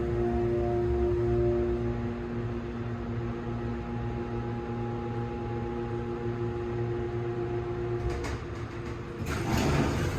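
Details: Newly installed MEI passenger elevator, ridden inside the cab: steady multi-tone whine over a low hum while travelling, then door clatter; the drive motor has become much louder than when new a couple of months earlier.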